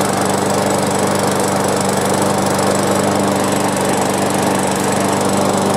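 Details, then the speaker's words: Free push lawn mower, small single-cylinder, after basic maintenance and cleaning, loose new spark plug checked and gapped: steady even chatter at constant speed, no misses or surging; runs smoothly. "all right that did it just need some cleaning up"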